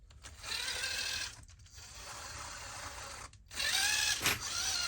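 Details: RC crawler (TRX-4 based build with LCG kit transmission) after adjusting pinion and floating top shaft: short bursts of high gear whine rising and falling with motor speed, a little better than before but gear mesh still sings.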